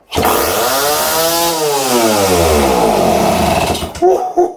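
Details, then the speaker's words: Mid-1970s Suzuki TF185 two-stroke farm bike, unused about 10 years, carburetor removed: kick-started, it fires on raw fuel in the crankcase and screams at wide open throttle, pitch sweeping up then sagging before sputtering and dying. "Turns out the TF 185 from the mid-70s doesn't need a carburetor. No. No, no, no, no. It's quite happy just having fuel poured into the crankcase."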